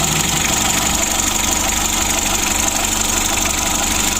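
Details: Mitsubishi L300 diesel, first start after overhaul with standard block, original pistons and crankshaft, standard bearings, new timing belt and air filter: steady diesel clatter, no stumbles or knocks; normal idle, oil pressure good, little smoke.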